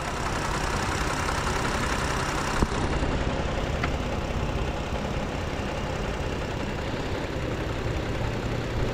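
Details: 2018 Toyota Sienna with replacement engine, after fixing a loose ground that caused a crank-no-start: smooth, even idle with a steady hum, no stumbles or knocks; engine running healthy.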